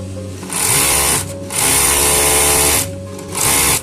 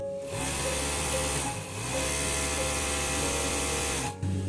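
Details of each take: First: Overlock sewing machine in three short running bursts with a harsh, hissy metallic rasp that wasn't there before; metal-on-metal rubbing from lint packed under the throat plate. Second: Overlock sewing machine after cleaning and refitting the plate tightly at its centre: runs smoothly at steady speed, the earlier catching, rubbing noise now gone; normal running sound.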